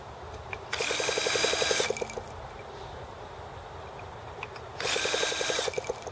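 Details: T26 model engine at 3°F (-13°C), after a valve job and rocker-arm and carb tuning: repeated drill-driven cranking bursts with brief coughs but no sustained run. The carb freezes as soon as it tries to run on its own.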